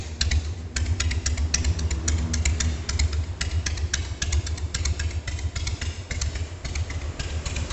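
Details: Harley-Davidson Sportster 1200S after engine rebuild and tune-up, slow idle: loping V-twin at about two beats a second with light valvetrain clatter; steady and even, healthy.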